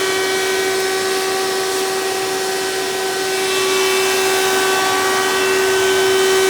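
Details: 1992 Hoover Elite II 650 upright vacuum, model U4689-910, in tool mode with hose attached (direct-air fan): loud high-pitched whine over rushing air, louder as motor speeds up. Owner suspects dry motor bearings, may oil them; unconfirmed.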